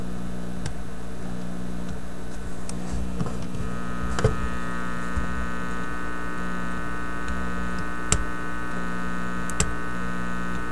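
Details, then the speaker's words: Teletone 67-600E record player amplifier, warmed up, during power-supply hum fix: constant low hum, reduced in level, with unchanged harsher buzz on top and handling ticks; power supply hum plus a separate buzz, hum not volume dependent. "this might be hard for you to hear but there's a definite reduction in the hum level the buzz level though is the same so there really is two two beasts in here"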